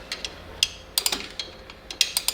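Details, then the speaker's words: 2005 Toyota Tacoma 4WD rear drum brake, new shoes, star wheel turned by hand to expand: crisp irregular ratchet clicks in small bursts, turning one way only; normal working self-adjuster. "I can keep turning this wheel. You hear it, it goes only one way, that's the expansion. I will be not able to turn it the other way."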